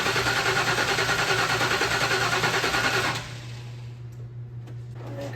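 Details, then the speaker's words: OBS crew cab truck sitting for years, weak batteries: starter spins engine an even three turns per second for three seconds but it never fires; crank no start, spark to be checked at number 1 plug. "Crank's good. Yeah. They're just not even trying."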